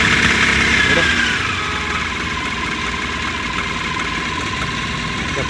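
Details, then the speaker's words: Mahindra Maximo (older vehicle) after new cam sensor fitted, old one gave no return signal though 5 V supply and ground correct: cranks, catches and settles into even steady idle with no stumbling; starting trouble fixed. "ಗಾಡಿ start ಆಗಿದೆ. ಇದೇ cam sensor flower ಮತ್ತು ಹೋಗಿದೆ."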